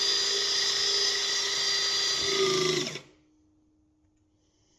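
Steady high-pitched motor whine for about three seconds, then a clean stop with no strain or grinding; the pump runs normally.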